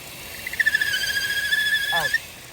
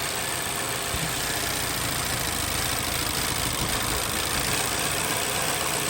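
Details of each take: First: Vauxhall/Opel Insignia 1.6 SIDI A16XHT at idle: thin, high whistling squeal that stops when the dipstick is pulled; failed PCV valve leaking crankcase vacuum, fixed by replacing the rocker cover with integrated PCV valve. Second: Vauxhall/Opel Insignia 1.6 SIDI A16XHT petrol engine idling after the failed PCV valve was repaired. The squeal from the camshaft seal is gone, leaving an even, quieter hum.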